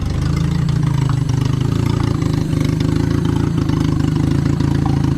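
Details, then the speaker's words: Turbo Honda Civic D15: steady idle with a faint irregular tick on top; owner heard a noise in the timing belt area, cause unknown, needs checking. "Had a little noise in my timing belt area, not sure what that is, but let's fire it up before we call it a day."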